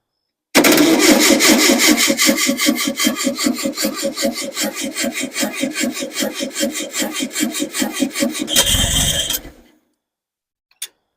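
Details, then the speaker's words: Engine's first start after months of rebuilding, tank above everything so roughly gravity fed; steady cranking about two and a half turns a second, brief catch that dies out; fuel issue suspected, sounds good when firing. "Got a fuel issue for sure. Sounds good when it is firing."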